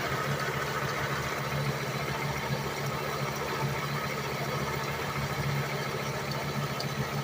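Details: 1998 Volvo S70 base engine, warm, timing belt changed 8/2019 at about 140,000 miles: rhythmic chirp over steady idle hum, owner guesses harmonic balancer/crankshaft pulley area, stethoscope could not pinpoint any pulley; cause suspected, not confirmed.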